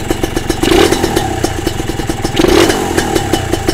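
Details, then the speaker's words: Kawasaki RR two-stroke motorcycle after reassembly: crackles up on a couple of quick throttle blips and drops cleanly back to a steady idle; the clean return shows the pilot jet is big enough, low-speed fuelling right. "Okay, dia kalau jatuh macam itu maknanya pilot dia cukup besar."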